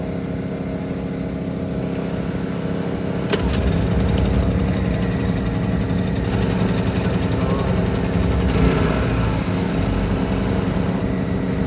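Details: Honda EU2000i generator after a repair for only running on choke and then stalling, fully reassembled: a sharp start, then a smooth, steady hum with no surging or stumbling. It runs properly.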